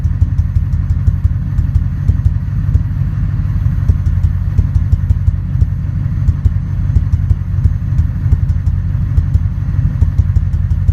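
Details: Ford 5.4 2V V8 truck, deep lumpy idle with occasional stumbles and faint ticking, no codes; intermittent three months, bank 2 misfire earlier, coil pack in that cylinder replaced, injector cleaner tried, shakes especially in drive.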